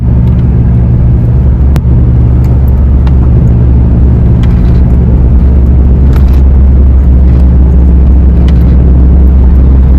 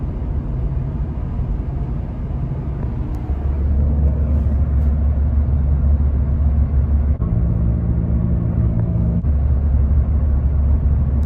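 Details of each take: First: 2019 Ford Fiesta at about 50 mph: steady low drone under road noise, louder toward the rear, fading when turning right or changing lanes; worn rear passenger-side wheel bearing. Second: 2019 Ford Fiesta after rear wheel bearing hub replacement, test drive at about 50 mph: steady low road rumble with no hum or growl, quiet through swerve test both ways; normal wheel bearing.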